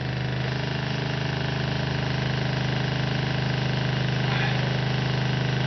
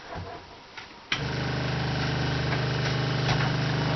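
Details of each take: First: RV water pump running while filling newly installed PEX plumbing: steady low drone with an even pulsing beat, brief gurgle as air clears at the kitchen sink, then lines pressurize. Pump running normally. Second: RV water pump switched on to pressurize newly installed PEX plumbing: fast, even buzzing hum with light rattle, steady note; sounds not primed, running dry, owner unsure; water then appears and a fitting leaks.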